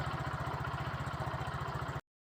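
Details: Yamaha Fino 115i scooter that wouldn't start due to low compression from leaking valves, after a valve job with a fault code showing: idles with a steady, even pulse of roughly a dozen beats a second and no misses.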